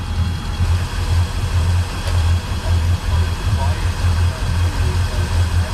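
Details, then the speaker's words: Volvo Penta 8.1 GI (496) marine V8 idling rough, uneven lumpy thumps about every half second, fuel regulator checked good; ear on the riser listening for the misfiring side; one cylinder dropping out from a clogged injector. "Problem is, these engines run so smooth. Now what I'm doing here is having my ear up to the riser and listening for all the hits on the engine. So I do this with both sides to figure out which side the misfire's on."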